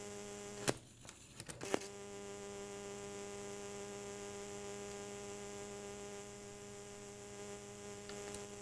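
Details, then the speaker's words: 1993 Sony WM-FX39 Walkman with mic clipped near it: constant low hum with steady overtones under handling clicks; a failed filter capacitor suspected of letting motor hum through, and a substitute capacitor reduces it dramatically. "so i think the argument that one of those capacitors is bad is fairly strong"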